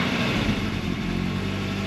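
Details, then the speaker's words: Mercedes 220CE W124, cold start with the MAF unplugged, third-party OVP relays fitted: rough, lumpy idle around 1100–1200 rpm with stumbles, revs climbing then dropping, no different from plugged in; suspected shorting biodegradable wiring causes cutting out. "so it's rough but no rougher than it was [Music] revs are climbing"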